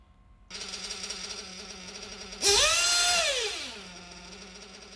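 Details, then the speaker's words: RC nitro engine: idles fine, screams up on a quick blip, then revs hang high and sink slowly back; top end lean, engine starving for fuel; lean high-speed needle causing hanging idle. "so the idle was fine rev it the top end is lean now the idle doesn't settle it stays"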